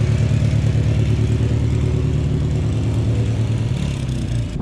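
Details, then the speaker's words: Riding mower/tractor with 18 horsepower Kohler engine running: steady low, even thrum with regular firing and no knocks or misses; normal running, runs really good. "But it runs really good. It has an 18 horsepower Kohler in here."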